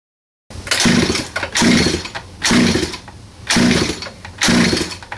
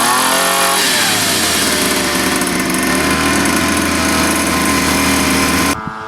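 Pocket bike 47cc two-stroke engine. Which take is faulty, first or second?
first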